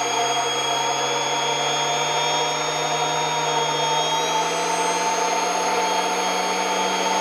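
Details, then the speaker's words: Kirby Avalir 2 vacuum turbo sander, hose fully stretched then unhooked from the G6: steady high whine climbing midway as sander speed recovers; the stretched hose reduces airflow and sander speed. "and unstretched all right you could hear there's a lot more difference with that sander it's a lot easier to see on it"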